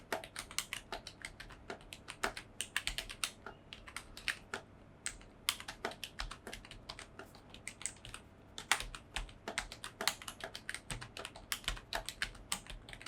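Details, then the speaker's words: Typing on a budget membrane keyboard after foam insert and stabilizer modification: soft, even key taps at brisk pace, no rattle or hollow clack from long keys; the foam removed most of the clacky sound and stabilizer rattle is gone. "At least మనం foam insert చేసిన దానివల్ల చాలా వరకు ఆ sound అనేది పోయింది. ఆ క్లాకీ feel అనేది పోయింది."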